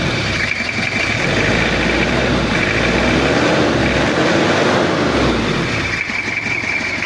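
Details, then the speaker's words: Toyota Kijang diesel, cold and below operating temperature, after cylinder head repair for overheating and coolant overflow. Slightly harsh from cold fuel, but an even four-beat clatter with no misses. Normal diesel idle. "ini posisi dingin suaranya masih agak kasar soalnya solarnya masih dingin menggumpal dan belum ee suhu kerja tapi kalau untuk suaranya rata ya Lur tekteknya itu rata"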